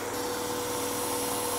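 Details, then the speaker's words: 1999 Acura Integra 1.8 L DOHC with high idle and check engine light: steady airy hiss and thin whistle over raised idle from a vacuum leak on one side, vacuum gauge about 21 inches, engine running lean. "and I can hear it over there on that side I can definitely hear a hissing noise from this side now with a vacuum leak our engines running lean"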